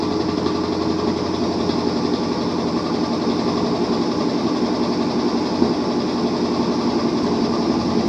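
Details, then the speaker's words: 1953 Chevrolet Bel Air rat rod small block Chevy V8, first run in 30-plus years with a little gas added: steady, busy fast idle, even beat, no knocks or misses; runs fine. "So that's it for this video. The car's running."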